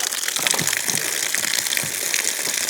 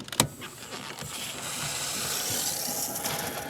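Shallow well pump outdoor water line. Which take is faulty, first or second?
first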